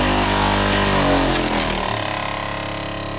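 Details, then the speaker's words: Saab heater blower motor in freezing weather: fan whirs and rattles, pitch falling as it slows, with rapid ticking about four per second; ice pulled into the housing struck the blower wheel and jammed it, now unjammed. "Yeah, it's all ice. I got it unjammed. There's just a lot of ice pulled up in there. So it still works. But that's the noise that I was hearing, and then it stopped."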